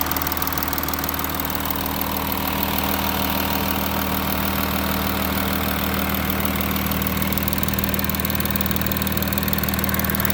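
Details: Audi A6 4G idling after passenger-side exhaust camshaft replacement: settled idle with steady hum and faint regular valvetrain ticking, no sharp clicks; former knocking is gone, engine sounds healthy.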